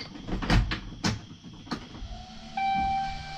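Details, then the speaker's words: Cummins 6.7 diesel race truck with new fuel cell, at key-on before first start: after handling clunks, a steady mid-pitched electric hum as the AirDog lift pump kicks on and holds even; lift pump running normally. "the air dog kicks on that's a good sign"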